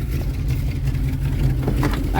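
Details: 1973 Dodge D200, 360 V8 with 727 automatic, sat 8 years, first start with idle screw turned up after filling carburettor bowls: steady even low rumble at raised idle, no knocks or misses; idles smoothly.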